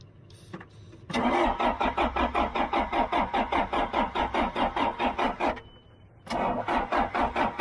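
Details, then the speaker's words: John Deere backhoe cranking after Liquid Wrench, then starting fluid: strong even starter chugging at about two and a half beats per second, pausing and restarting, never catching; cause not confirmed. "ain't doing nothing that didn't work too good how about some polar premium starting fluid with upper cylinder lubricant"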